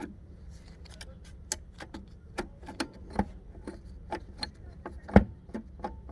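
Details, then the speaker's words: 1965 Admiral colour TV/radio/phonograph combo, solid-state receiver found dead, after capacitor reforming: quiet background broken by sharp irregular pops and clicks from the speaker, a few per second; switches suspected bad, not confirmed. "I am hearing a pop from the speaker, but it's like these switches are bad."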